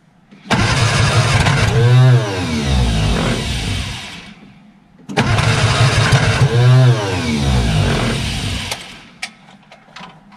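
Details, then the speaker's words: Barn-find Austin-Healey Sprite first start attempt, carburetors filled by hand, ignition wired directly from battery, chokes held up; fires and stumbles unevenly for a few seconds then dies in two cranking bursts; catching but not running. "i'm going to hold the chokes up and let's give it a go [Music] it's a good sign wants to go"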